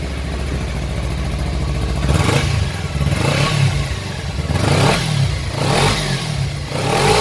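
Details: Six-year-old Kawasaki Ninja 250cc: even twin-cylinder burble with several clean throttle blips rising and settling smoothly, no clatter or misfire; engine and exhaust still very smooth.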